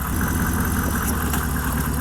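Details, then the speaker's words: Truck V8 after driving hard through a big puddle, owner suspects water in engine, air filter dry but clogged with dirt: deep, uneven, loping idle that stumbles now and then, lower in pitch than usual; rough idle, cause not confirmed. "It's thicker. Like it's lower pitch, lower tone."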